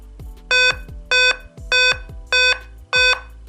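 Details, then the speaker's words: Dell P39F laptop powered on with no display gives five clear, evenly spaced high beeps about 0.6 seconds apart with no other activity; five-beep POST code traced to a failed CMOS battery, replaced along with the main battery. "display is dead and it's making it's making these beeps one 2 3 four five so it's got five beeps coming right now"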